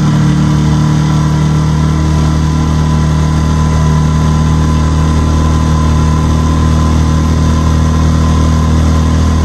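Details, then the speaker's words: New Hangkai 6.5 hp four-stroke outboard on a 10-foot jon boat under load: smooth, steady low drone at constant speed for ten seconds, no misses, knocks or surging; pulling evenly and healthy. "i'm assuming this motor cranked very very easy out of the box you know it started up good it ran good all the gears did good"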